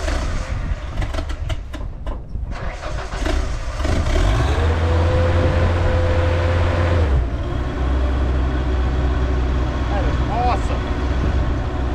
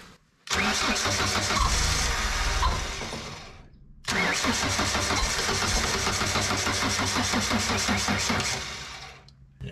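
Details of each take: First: Ford LRG-425 engine on a JLG 80HX boom lift, warm and fitted with a new manual choke: a brief crank, then it restarts quickly with the choke wide open and settles into a steady, even low rumble; normal warm restart, running much better. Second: JLG 80HX boom lift, Ford LRG-425 engine, cold start on half choke after sitting days, battery drained by ignition left on overnight: two sluggish, labouring cranking bursts that fade without catching; slow cranking from weak battery, nearly started.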